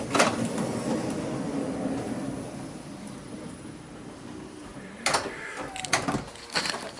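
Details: 2005 Honda Odyssey passenger power sliding door after rolling hinge replacement and cable re-tensioning, heard from outside: soft, even motor run for several seconds, then a few latch clunks as it closes, no grinding, scraping or binding.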